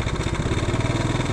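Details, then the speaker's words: Motorcycle idling after tune-up and tensioner replacement: rattle gone, but a rapid, regular low knock on every firing pulse remains deep inside the engine; mechanic suspects connecting rod or bearing, not confirmed. "Nawala na yung kalansing niya, pero yung tunog nasa loob pa rin. Connecting rod daw."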